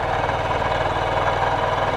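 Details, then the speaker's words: 2023 Honda CB125F single after a valve clearance adjustment, just started, before warm-up: even, steady beat with no rattle or tapping; earlier rattle likely from a tight exhaust valve, now a smooth normal idle. "that sounds brilliantly smooth and look it's clear we are going to let this bike warm up"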